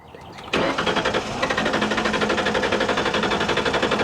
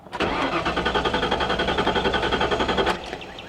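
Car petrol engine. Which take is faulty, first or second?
second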